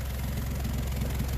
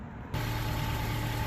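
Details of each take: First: 2011 Honda CR-V 4WD (year uncertain) idling with a loud, low, rapid puffing from underneath: exhaust leak where the rotted, melted flange between intermediate pipe and rear muffler failed; fixed with an aftermarket split flange. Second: Honda CR-V 4WD (possibly 2011) after installing an aftermarket split flange at the rotted intermediate-pipe-to-rear-muffler joint: engine started cold, settles into a steady even idle with no exhaust puffing or ticking; no exhaust leak.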